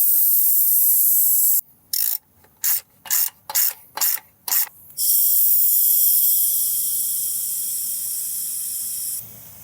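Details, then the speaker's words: 1991 Cummins Big Cam NT88 with aftercooler, intake pressurised by air compressor to a steady 15: high hiss of escaping air with short bursts; boost leak at the aftercooler, not at the boot. "so I am holding a steady 15 right here with the air compressor running which is great but I do hear air leaking somewhere where it's not on this boot anymore so we're going to have to investigate that"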